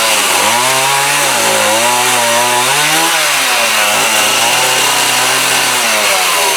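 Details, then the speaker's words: Homelite D3850B 18" chainsaw, with a new carburetor and fuel kit, cutting wood outdoors in the cold with a dull used chain: a strong buzz dips in pitch as the chain bites and recovers cleanly. Healthy engine under cutting load. "Thing's probably as dull as it can be, but I'll try to cut that piece of wood anyway."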